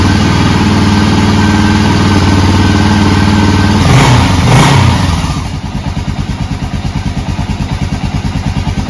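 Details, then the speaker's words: Honda XR650L, bought non-starting then repaired, cold start early morning with two clicks of choke and no throttle: fires fast, settles to steady even single-cylinder idle. "i have not touched the gas on this and he would say hi it turned over four or five times before to start two clicks on the choking y'all saw how fast it fired up"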